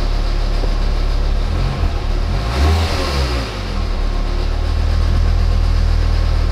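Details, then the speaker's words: 2006 Mini Cooper S with 25,000 original miles, heard at startup: a low engine drone with a coarse, nasty buzzing rattle that rises and falls with revs, traced to a failing supercharger pulley. "so you guys heard it when i started the engine up and pulled it over to the lift it's a rattly really nasty sounding buzzing noise"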